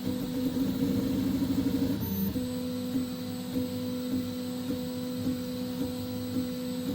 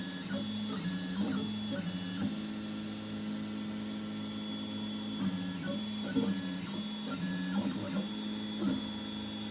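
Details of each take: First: 3D printer with Fibre steam HGX extruder and Goliath hot end: a steady motor hum with a sharp knock roughly every 0.6 seconds at each fast direction change. Knocking comes from excessive acceleration settings jolting the frame. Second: 3D printer extruder with a Goliath hot end (Fibre steam HGX setup), printing with the first layer not sped up. Even stepper whir with tones stepping up and down as moves change, no clicking or skipping; extruder running smoothly and healthy.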